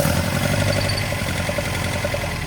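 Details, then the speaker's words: 1979 Datsun 620 idling after a long trip: uneven, lumpy beat with a hitch in the rhythm, running on three of four cylinders; idle too low to charge. "Run on three out of four. I think that three out of four. That's definitely down."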